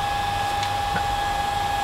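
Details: New replacement cooling fan on the MPT-7210A solar charger, just plugged in at full speed: small fan with a steady airy whoosh and a clean, constant high hum, no rattle or scraping.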